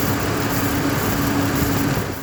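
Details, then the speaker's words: Chevy Trailblazer engine running after a new fan clutch was installed to cure a loud whining wind noise: even fan rush with a faint fixed tone. It now sounds normal. "now we got the new one in and um got the new ac clutch in and uh sounds pretty good"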